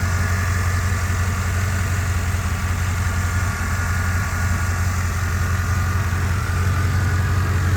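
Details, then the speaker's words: Restored 1990 Chevrolet Suburban V1500 Silverado 4x4, 350 TBI V8, 700R4 transmission, hood open: steady, even low rumble at idle with no misses, ticks or knocks; idles down perfectly and runs smoothly. "and let me go ahead and open the hood here while you hear it run s great idles down perfectly"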